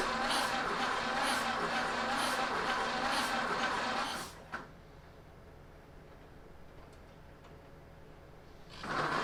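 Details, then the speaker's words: 1930 Ford Model A four-cylinder after sitting seven years, after re-timing the ignition: runs at a steady even rhythm about four seconds then shuts down, no misses or popping; finally started. "I paused after this came back the next day and and you know re-timed it didn't put the slot back in at this time and uh and it finally cranked foreign here we are with the cooler head after re-timing it"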